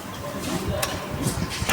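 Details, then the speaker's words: TVS Jupiter 2025 model scooter at 1984 km, customer complaint of engine noise: a light, irregular ticking over a fast idle; tappet noise, tappet covers opened. "टैपिड no आ रही है देखो मैं साफ को आवाज सुनाता हूं इंजन में क्या आवाज आती है"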